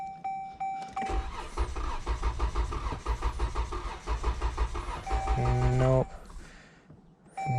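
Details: Stuck Dodge on roadside with a completely dead battery, given constant power: it cranks steadily and evenly for about five seconds but never fires. Crank, no start; a stuck throttle body or low voltage is suspected, not confirmed.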